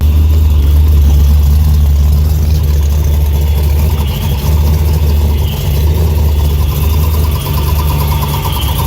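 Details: Ford Lightning at idle after exhaust, O2 sensor and plug work: a loud, fairly steady low drone with an uneven rattle from the bell housing; owner assumes the torque converter, but a transmission shop couldn't confirm.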